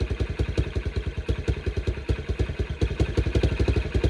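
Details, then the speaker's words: Kawasaki Brute Force 300 ATV after carburetor cleaning, which had been hard to start and would not idle: steady single-cylinder idle, even thumping about nine beats a second, no misses, stalling or clatter; carb may need slight adjustment. "it's idling but I could probably adjust that carburetor a little bit"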